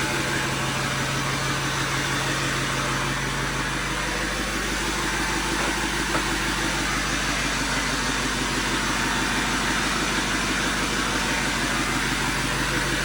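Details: Overkill XJ off-road rig after fixes and a dead-battery start: fairly even idle with rough, hissy background, no obvious knock or grind; sounds ready to drive.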